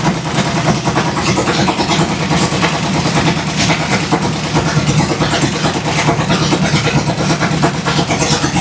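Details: 1966 Ford Fairlane gasser, 503 ci big-block Ford (429 D0VE block) first start after sitting for years, open headers: very loud fast idle with choppy lope, firing steadily without missing; normal fast idle.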